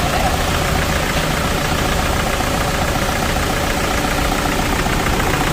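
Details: Toyota diesel after valve cover gasket leak repair, seals replaced with genuine parts, fresh 7 L oil change; loud steady clatter at idle with even beat, no extra knock or rattle: normal healthy idle.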